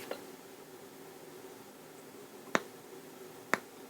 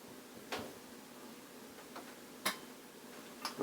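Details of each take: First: 1973 Luxman L-507 amplifier, 50 W per channel, on cold start: quiet hiss broken by two sharp pops about a second apart with faint crackle on left channel before relay clicks in; intermittent amplifier crackle and pop, cause not yet found. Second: 1973 Luxman L-507 amplifier, 50 W per channel, normally crackles and pops on the left channel at cold start: at power-on, quiet hiss then a few crisp clicks with no crackle as the protection relay pulls in; normal relay click.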